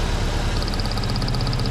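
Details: Engine idling with one cylinder misfiring, before the ignition coil, plug cables and spark plugs were checked or replaced. Uneven, lumpy beat with a quick ticking pulse on top; rough misfire at idle.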